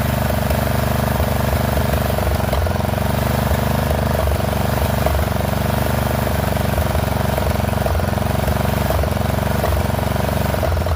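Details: Poulan XT 12538 riding mower, 12.5 hp single-cylinder, 38-inch deck, warm, running on a newly fitted carburetor (old one leaked gas into crankcase): loud, ragged, uneven beat around four pulses a second. Rough running; owner suspects valves not set right.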